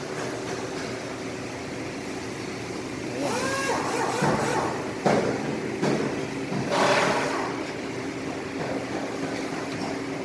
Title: Piston Slap: Engine knocking, dismantle